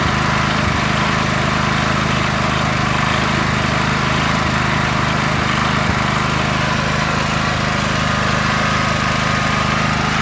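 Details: Predator 8750 W inverter generator on propane through a Nash Fuel tri-fuel kit, idle set with the blocking nut: steady, even drone at constant speed with no hunting or stumbling, running cleanly.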